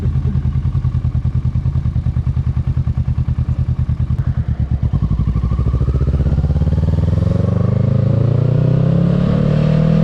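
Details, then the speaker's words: 2022 Kawasaki Ninja 650 riding with windscreen removed: twin's pulses climb smoothly into a clean drone with no buzz or rattle from the front fairing; fairing vibration traced to the windscreen. "Okay, so as y'all saw in the video, like I said, no fairing vibration at all with the windscreen off."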